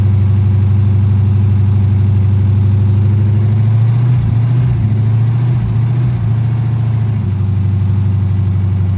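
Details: 2010 Dodge Charger idling just after its first start following replacement of damaged heads, before coolant is added: a steady, even low idle with a smooth beat and only a brief wobble mid-clip, running normally.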